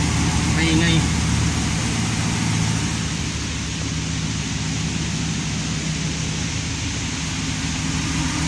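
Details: Ticking/clicking noise on cold start of a 5.7-liter engine, a fast light tick roughly four per second over the cold idle; source of the clicking unclear; reported successfully repaired.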